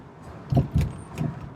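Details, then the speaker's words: 2013 Toyota Camry: three hollow low clunks on pull-away, a diesel-like rattle on takeoff that goes away once given a little gas and doesn't always occur; cause not pinned down. "okay guys we got a 2013 toyota camry here every time i take off it makes a rattling noise listen to this sounds like a diesel truck or engine"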